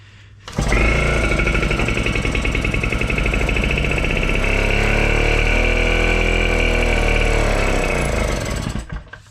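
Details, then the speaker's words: 1940s Goïot R22 outboard boat motor restart, throttle and ignition advance set about midway: engine catches and runs an uneven steady beat about eight seconds, then dies; won't hold idle, adjustment suspected, possibly opening the air. "ben voilà ça tourne ça tourne mais ça tient pas donc il doit y avoir un réglage"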